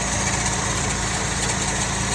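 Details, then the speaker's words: Car with a no-start problem, on a cold day, after being started: steady idle with a thin, high whine heard from the belt; owner suspects the alternator but has not confirmed it. "As y'all can hear, to me, it's kind of confirming that it's the alternator because of the noise I hear, but I can't quite determine if it's coming from the alternator just yet. I do I do hear it from the belt."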